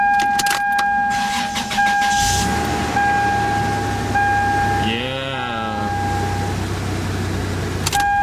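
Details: Toyota 5VZ-FE V6 on first startup after DIY timing belt replacement and new drive belts (alternator adjusted): short crank, catches quickly, settles into an even idle under a repeating door chime, no slap, tick or squeal; normal start and idle.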